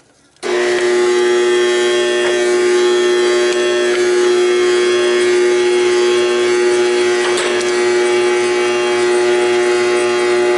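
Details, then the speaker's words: Trane XL14i condensing unit: loud steady electrical buzz-hum, condenser fan motor not spinning though its capacitor tests good; failed fan motor, unit tripping on pressure. "we have a bad motor cap pass it is okay that fan should run fan should run it's not running"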